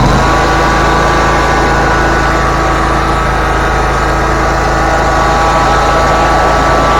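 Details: Bobcat zero-turn mower after a clicking no-start was fixed by replacing the starter solenoid and reconnecting the cables. Steady, even engine note with no misses, knocks or clicks: running smoothly and healthy.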